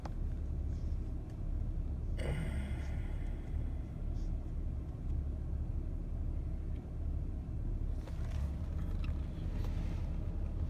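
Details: Ford Taurus Vulcan 3.0 V6 after intake gasket, EGR tube and manifold runner O-ring leak repairs for misfires: steady even idle rumble, earlier slight lope gone, rpm needle now barely bouncing.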